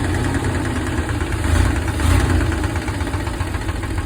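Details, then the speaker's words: 1995 Chevy G20 van, 4.3 V6, first start after new fuel pump/sender, oil pressure about 55-60, temp gauge ~150: ran smooth then deep irregular thumping knock appeared at idle, cause unknown; engine knock at idle. "oil pressure almost 60 55 good oh mother knocking"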